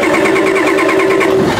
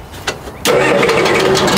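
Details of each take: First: Old Ford diesel truck, glow plug wire suspected loose: steady whirring with even pulsing as the engine cranks without catching, glow plug clicking expected on start; hard start, cause suspected, not confirmed. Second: Old Ford diesel truck after glow plug switch repair, started without starter fluid after 10 seconds of glow plugs: brief crank, catches within a second and settles into a steady, even diesel clatter at idle; clean start.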